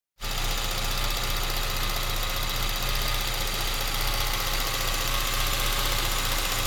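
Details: Citroen Xantia Activa TCT after replacing a temperature sensor and ignition amplifier module: steady low idle with faintly uneven, lumpy beat, no clear knock; still slightly rough idle, cause not obvious.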